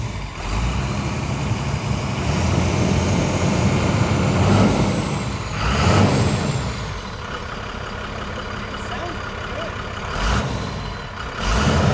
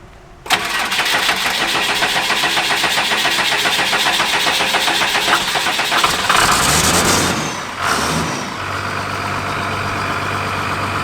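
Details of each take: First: Motorhome with 39,000-mile Cummins 12-valve diesel, in yard, no brakes: deep steady diesel rumble with occasional air hiss and rattles, no knock or miss; sounds healthy. Normal running. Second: Motorhome with 39k-mile Cummins engine after long storage: long crank with steady rapid chug before catching and settling to rough idle; hard start, 20-year-old fuel and clogged fuel filters suspected.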